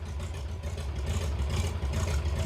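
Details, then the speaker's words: 68-year-old museum airplane engine, sat about 20 years: deep lumpy idle with uneven beats that sounds like a big cam but is actually cylinders missing; misfire. "when what's happening is it's just missing"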